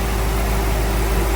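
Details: Crown Vic V8 in a C20 frame swap, warming up after its vacuum leaks were found and plugged: short stretch of steady, even low rumble with no hunting or stumbling; idles smoothly and better than before.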